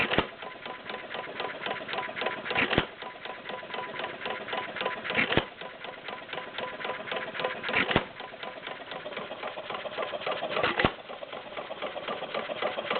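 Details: Warm Stover CT-2 hit-and-miss engine, 2–2.5 hp, choke fully open, about 500 RPM by tachometer: sharp firing pop roughly every two and a half seconds, soft ticking while coasting, very little smoke; healthy running.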